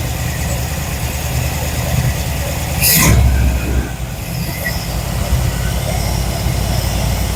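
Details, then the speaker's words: Square-body Chevy C10 V8 sitting for years, first start after Marvel Mystery Oil in cylinders, new plugs and new carburetor: low steady idle about four pulses a second, one loud blip, smoking, no knocking; normal idle. "Well, it runs. Okay, so we know it's running, and it's smoking to be damned."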